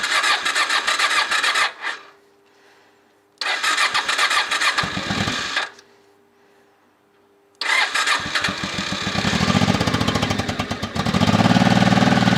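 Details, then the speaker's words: Honda motorcycle after 2.5 months standing outdoors, battery at 11.7 V on choke: two short cranking bursts fail, then it catches and settles into an even, steady idle; the no-start was an insufficiently charged battery. "As you can see, it really was an insufficiently charged battery. Let's let the engine warm up a little on the choke, evaporate all the condensation from the mufflers and slowly, in the meantime, return the trim and seat parts to their place."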